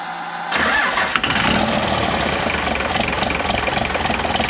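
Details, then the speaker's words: 24-valve P-pump Cummins swapped into a 1968 Dodge W200 (NV4500/NP205), valve lash just adjusted: silent cranking, then a sudden catch on ether into rough, uneven diesel clatter; hard start from unsealed fuel fittings letting air in. "Well, we kind of got it started. Um, I had to kind of limp it by with some ether. I mean, at least I know the motor's like not inoperable."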